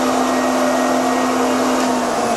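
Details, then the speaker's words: Grizzly 20-inch spiral cutterhead thickness planer after shortening the link belts and tightening the motor mount: steady even motor hum with constant tone, no chirp or squeal of belt slip; normal running. "none that was great perfect"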